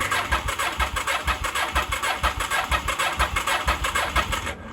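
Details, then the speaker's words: 1983 Honda Shadow VT750C after restoration, first start attempt on fresh gas and full choke: steady starter cranking at about two pulses a second that never catches; flooded. "let's see if she'll start I haven't tried to start it yet since I put the new gas in so I'll put it on choke let's see what she does"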